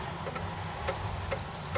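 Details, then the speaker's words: Acorn Archimedes A3010 floppy drive after fixing a loose coil that sagged and rubbed: only faint even ticks about twice a second, no rattle or rubbing; drive now runs quietly and normally. "That mysterious rattling is gone. So yeah, it was absolutely that coil."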